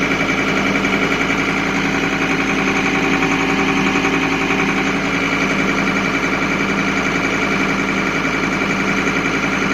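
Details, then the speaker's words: 2005 John Deere 328 running with a freshly charged battery: a continuous warning buzzer with the battery light on. The alternator is bad and not charging. "but as soon as I started up the battery light comes on telling me the alternator is not charging so it's really not a battery problem it's an alternator problem"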